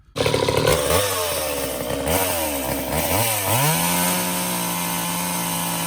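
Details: Old Craftsman chainsaw after Walbro carb rebuild, new fuel lines and bar oil line, run to test chain oiling at a cardboard box: revs up and down, then steady, even two-stroke idle without misses or surging; oil now flinging off chain; normal running.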